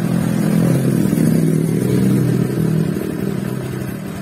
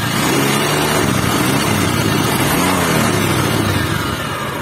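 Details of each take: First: Honda Vario 150 scooter, stored unused for about 11 years, after repair with radiator coolant refilled. The engine now runs with an even, low hum and no hiss or knock; the earlier cobra-like hissing is gone. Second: Honda Vario 150 scooter engine revving with a rough, grainy hiss like a cobra over the exhaust note; the owner also reported the oil running low within two weeks.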